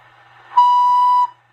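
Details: Heavily modded Cobra 142 GTL CB base station with four-pin mic: a clean, steady high steam-train-like whistle cuts in sharply, holds under a second, then stops. Interference is fed into the audio at 3/4 volume or more; mic wiring is not suspected.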